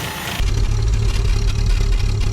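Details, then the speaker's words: Series 3 Land Rover idling on a brand-new cheap knock-off carburettor after tuning, smoking heavily: lumpy, uneven low idle that stumbles and pulses irregularly; rough running. "camera doesn't really pick it up but she's smoking like an oil fire i mentioned that this is a brand new carburetor and it is but these cheap knock-off carbs don't exactly have a good reputation"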